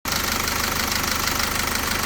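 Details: SsangYong Korando C / Rexton Sports / Rexton W diesel at idle: fast, even knocking rattle over a steady idle from a noisy crankshaft damper pulley, shown being fixed.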